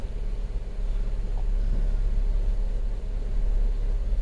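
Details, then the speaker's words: 2018 Chevrolet Equinox 1.5L turbo with a newly installed engine: it was a crank-no-start with 22 codes (cam actuator and turbo bypass solenoid circuits). After a connector was pushed further on, it now starts and codes were cleared. Quiet, even idle with no misfire or knock: normal. "there we go so that's done it's running"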